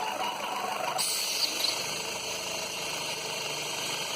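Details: Citroën C4 with a noise first thought to come from the automatic gearbox: constant high hiss with a faint whistle over a quiet idle, suspected air drawn through a holed intake/valve-cover part; vacuum leak.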